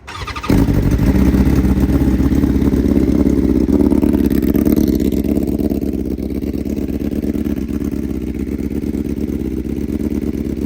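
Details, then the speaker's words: BMW S1000RR inline-four replacement engine, first start after install with an engine-fault code; idles unevenly with an irregular stumble, sounding about the same as with the scratched head. Owner suspects a coil still out; misfire, cause unconfirmed. "All right, we're having to test it real quick because, you guys didn't hear how it sounded before with the scratched head, but it sounds about the same. It's like, to me, it sounds more like a coil still out."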